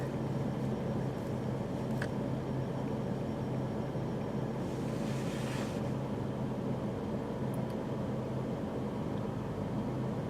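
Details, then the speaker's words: 1997 Mercury Grand Marquis 4.6L after new spark plugs, which cured a skip at idle and low rpm: a quiet, steady, even idle hum with no stumbles. Fuel trims are improving. "Well, I can tell right off the bat things are, I mean, it sounds really good."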